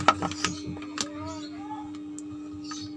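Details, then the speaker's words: PC/laptop active speaker powered from mains, volume knob also on-off switch, complaint of very low, distorted output; steady low hum dominates with only faint intended sound and handling clicks, touching gives no noise reaction: speaker hum with very low output. "berdengung seperti ini nah ini volume ini berfungsi untuk saklar on-off sekaligus volume naik turunnya tak hanya berdengung seperti ini"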